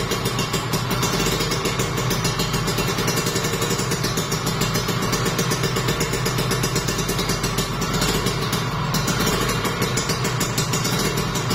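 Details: Kawasaki Ninja RR two-stroke, overbored, checking block and piston after start with fuel fed by hose: fast, even buzz, no knocking or rattling from the bottom end, slight smoke; normal running.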